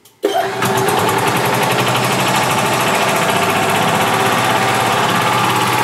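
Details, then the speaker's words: 2011 Club Car DS gas golf cart with a bad governor and misadjusted throttle: at the first touch of the pedal you hear the click, then it runs at a fast, steady buzz instead of just cranking. The throttle plate is already about an eighth open. "what's happening is as soon as I step on the pedal the throttle plate is open about an eighth of the way so as soon as I step on the pedal you'll hear the click and then you know the engines run and not just crank"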